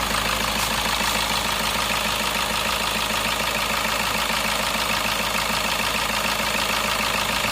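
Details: Suzuki Ertiga common-rail turbo diesel, first start after engine rebuild prompted by an oil leak: steady, even idle with light regular clatter, no smoke, misses or knocks; engine sounds healthy.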